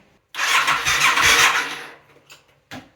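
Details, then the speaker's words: Yamaha XS400 cafe racer project, first start attempt after new petcock and new battery: strained whirring crank about a second and a half, fading as battery drags, no firing; weak battery, slow cranking. "So come on, bad boy. Oops, there's it. I can hear the battery shitting itself. Why?"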